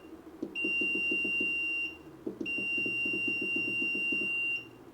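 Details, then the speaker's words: 6.5-liter ultrasonic parts cleaner filled with Simple Green and water about 6:1, switched on at the rear power switch for temperature setup: two long steady high beeps over a fluttering hum; normal control panel beeps. "We're gonna turn the power switch on in the back. Beep. We can set the temperature."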